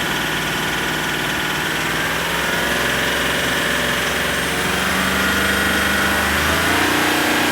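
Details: Range Rover SDV8 diesel V8 at idle, still knocking after garage fitted two new turbos, two EGR valves, oil cooler and EGR cooler seals, oversize big end bearings and a skimmed, polished crank; also surges under light acceleration. Persistent light tap about four a second above the clatter; cause unknown.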